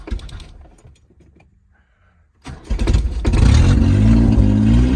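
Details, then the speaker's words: Carbureted Subaru Justy with fresh gas, after two weeks outdoors in cold rain and snow, below 30°F: a pause, then the starter churns at a steady few turns per second. It failed to start on the first try and caught on the third; hard cold start. "First try, turns over. Didn't start running. It's cold. Dropping below 30."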